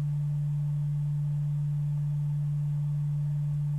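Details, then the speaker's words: Adcom GFA-555 amplifier left channel, bias raised to about 3 mV after buzzing at low bias, microphone at speaker: steady pure low test tone without buzz; clean amplifier output. "if we get it up into three millivolt range you can hear it sounds perfectly fine"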